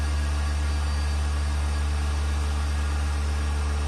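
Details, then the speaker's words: Vacuum pump on the back of a mixer during vacuum test with vacuum meter on the lid; deep, even low hum with soft steady pulse, no rattling; quiet, good-quality pump, normal running. "This is a vacuum pump. Very low noise. And this is a good quality one. Low noise."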